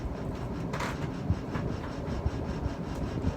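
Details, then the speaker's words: Casablanca Zephyr ceiling fan with non-genuine blades on top speed six: steady low rumble with a soft knock about once a second; owner suspects loose blade screws, not confirmed. "yeah i don't know what that noise is i think it's one of the blade screws holding the blades together honestly it's making me a bit nervous"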